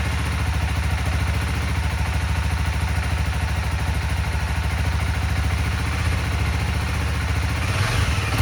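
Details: 2016 CBR300R with 1133 miles, parked 7 years, idling during a coolant top-up: a steady, even low putter with no knocks or misses, rising slightly at the end; a healthy idle, with the battery charging at 15.6 V.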